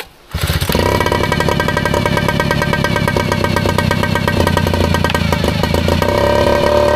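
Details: Air-cooled Yamaha 3.5 outboard, broken fuel pump bypassed with a scooter fuel filter, fires up after a no-start and holds a steady, even low-throttle putter with no misses or knocks while warming up; healthy idle.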